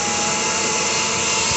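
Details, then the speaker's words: Trim tab actuators on a rebuilt center-console boat with a 2020 Suzuki 250 outboard, one actuator newly replaced: both run with a smooth, even electric whine and no grinding, taking about four seconds; normal operation. "oh yeah they both work all right come on up with it done oh yeah four seconds it's nice"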